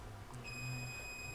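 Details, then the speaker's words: RCI-2995DX CB radio not transmitting after RF from another transmitter entered antenna jack; multimeter continuity test, base to collector gives steady tone and zero reading both directions; shorted transistor junction. "if I go to The Collector that shows good you hear that tone see that zero that shouldn't do that and that does that both directions"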